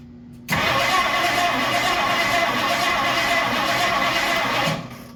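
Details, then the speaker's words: 1964 Ford Galaxie, first start attempt after 30+ years sitting, exhaust cut off: harsh, even churning crank about four seconds, never runs; owner suspects ignition timing 180° out, unconfirmed. "I'm willing to bet this is why this was barked 30 years ago I didn't even think the check to see if this was 180 out"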